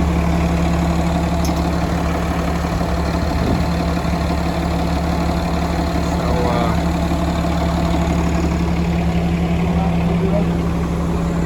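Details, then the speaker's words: Peterbilt 330 crane truck at diesel idle. With the clutch pressed and released slowly, the PTO kicks on and drives the hydraulic pump that powers everything, including the air compressor. A constant low hum joins the steady idle; the pump runs normally. "Release it slow. You can hear that PTO kick on. That kicks on your hydraulic pump."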